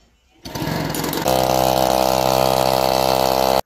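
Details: Newly assembled agricultural sprayer pump with small petrol engine, first start: catches after a rough start and settles into a steady, even buzzing run with no knocks or rattles; sounds healthy.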